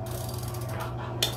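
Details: Bicycle square-taper crankset with Shimano crank: sharp single click under pedal load over ratcheting whir, worst standing on pedals; worn left crank arm loosening on spindle, to be replaced with HollowTech crankset.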